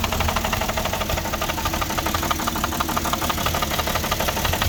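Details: 2006 Porsche Cayenne 3.2 V6 petrol, cold and just started: uneven idle with a fast, irregular ticking patter and a wavering note. Owner suspects a misfire, vacuum leak or throttle body problem; rough idle, cause not confirmed.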